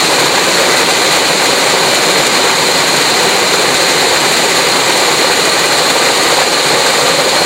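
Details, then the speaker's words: Fisher control valve in visual test rig, before downstream valve is partly closed to add back pressure: steady hard hissing rush with gravelly crackle; cavitation, expected to lessen with back pressure. "We'll show you some cavitation happening and then I'm going to close off this rear valve a little bit and you'll be able to see the cavitation lessening and it might even go away we'll see."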